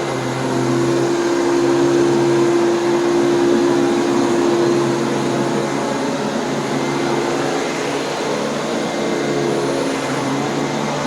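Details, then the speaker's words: Riccar 8850 upright vacuum, whole-house carpet cleaning: steady high squeal over the even motor roar as the old but clean brush roll bristles squeak on the carpet. "so do you hear the squeaky bristles they're old and they're clean but they're squeaking"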